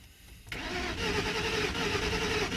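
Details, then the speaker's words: 2000 Lincoln Town Car, 108,000 miles, gauge reading 31 miles to empty: starter turns over at an even pace but the engine never fires; cranks but won't start, owner suspects no fuel or a bad fuel pump. "yeah i would say it doesn't have any fuel in it or it's acting like that"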